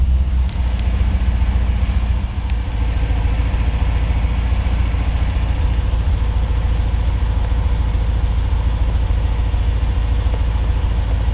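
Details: 1984 Corvette with Crossfire Injection, cold start at about 25°F with the temperature gauge not yet registering, after restoring the Thermac heated air cleaner: steady, even idle of about three and a half beats a second with no stumbles; a healthy cold idle.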